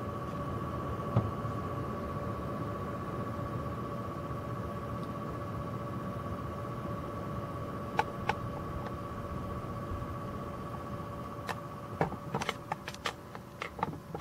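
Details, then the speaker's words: Gigabyte Radeon HD 7870 OC (three fans) on auto speed, under 40%, with a Corsair H100 liquid cooler in a Cooler Master case: a steady high-pitched hum over soft fan air, which is the H100 pump running normally. "the sound you hear is actually the Corsair h100 making the noise the gigabyte camera is running under 40% fence speed which is auto"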